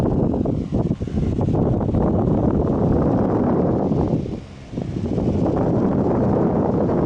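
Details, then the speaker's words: 2003 Honeywell RE-300E all-metal chrome 12-inch desk fan on medium: steady low whoosh with no rattle or ticking, slightly off balance but smooth and powerful. Normal running. "medium this thing doesn't even rattle it shakes but it's a bit off balanced but it is so smooth that's pretty powerful as well"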